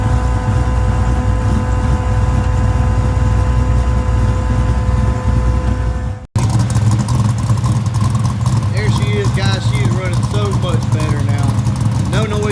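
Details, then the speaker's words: V8 after valve train noise fix (lifters, cam, longer pushrods replaced), Terminator X with timing tuned and locked in, heard from the front: smooth even idle, steady low rumble, no top-end ticking or clatter; nice and quiet. "Walk up front, let you guys hear it. Nice and quiet."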